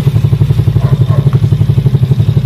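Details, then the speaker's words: Scooter final test after reassembly, noise traced to an ungreased torque drive: steady even engine pulse, no rattle or scraping from the drive side; belt transmission quiet and healthy. "Yan bok, wala na. Wala nang ingay kanina mga bok. Yan. Wala na."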